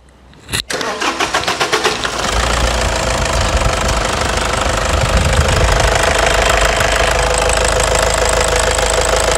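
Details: Toyota Hilux 2.5 diesel after injectors revised, high-pressure pump cleaned and new turbo filter fitted: cranks briefly, fires within a second, settles into steady even idle with clean rhythm; healthy, white smoke clears.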